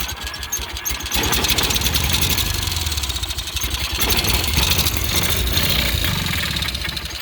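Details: Cub Cadet 1812 18hp Kohler Magnum engine, out of the tractor, after an ignition coil replacement with the throttle cable disconnected: catches after about a second, then an even, steady beat without misses. It runs and sounds healthy.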